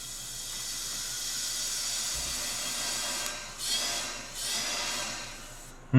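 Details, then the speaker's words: 1979 Chevy small block, likely 350, with misses on a couple cylinders; leak-down air test, piston at bottom, engine off, steady hiss of air out the exhaust from a severely leaking exhaust valve. "sounds like the air is going right off the exhaust so that's telling me our exhaust valve has a severe leak in it so that's not good"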